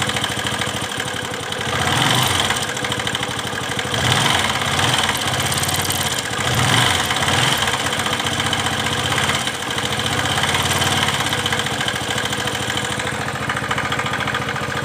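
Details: Pulsar 135 motorcycle, cold engine at idle: uneven, rattly mechanical noise swelling and fading every few seconds, only when cold; cause unknown.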